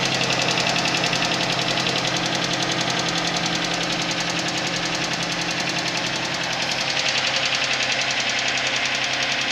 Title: Сузуки витара,стук на холодную